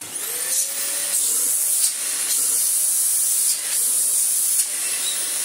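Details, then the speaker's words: Restored Dyson DC25 upright vacuum, run with the hose off after a strip-down wash and two new parts: a steady, high, airy rush with a faint even tone beneath and no rattles or surging. The motor runs normally; its brush is worn and a bit noisy. "wrong with that Moses sounds okay here he is not not the best sounding most in the world but the state of the post motor filter was in blimey it sounds Mick"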